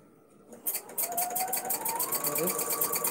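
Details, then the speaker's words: Domestic sewing machine during free-motion quilting: rapid stitching clatter with a thin squeal rising in pitch as it speeds up, quite squeaky; owner suspects it needs oil. "Does that need oil? I don't know why it sounds like this. It definitely needs something, because it sounds like I never use it. Quite squeaky."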